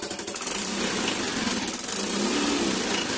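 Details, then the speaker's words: Low-mileage Yamaha Mio i125 scooter, basic throttle body and injector checks done: fast pulsing rattle with raspy crackle on each exhaust beat at low revs, backfire pop on throttle release; exhaust leak at a broken joint. "Hindi ko alam kung narinig niyo yun pero pag nagano na ako pagkatas ko magpa biglang parang may naiiwan na backfire pak gumaganon"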